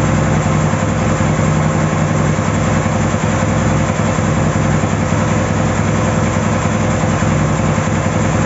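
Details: Ural 650 twin motorcycle after a breakdown repair, idling with a steady, even low thrum and regular unbroken firing, no knocks or misses; normal healthy idle.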